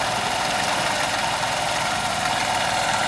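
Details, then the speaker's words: 2001 Honda CH80 scooter after tune-up, carburetor pilot and main jets cleaned (previously idled only on electric choke): small single ticking over at steady even idle, no hunting or stumbles; normal idle with idle jet clear. "now with the idle Jet clear and running correctly this bike if there are no leaks vacuum leaks should idle like this all day long"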